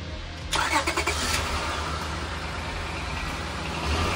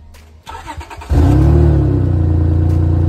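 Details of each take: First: Honda car idling right after a leaking exhaust section was welded, coated and refitted; some leak may remain. It starts quickly and settles into a steady, smooth idle with no puffing or ticking, so the exhaust sounds sealed. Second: Honda at idle with an exhaust leak at the flex pipe, which is leaking heavily and bent, likely from hitting the ground; the planned fix is to cut the section out and weld on a washer mount. Loud, uneven puffing chuff.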